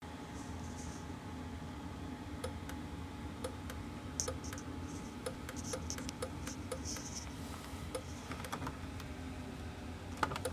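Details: 2012 Dutchmen trailer furnace: sharp, irregular clicks keep coming over the steady blower hum whenever the furnace cycles on. The clicking gets worse the more the heater cycles: repeated clicking while the furnace runs.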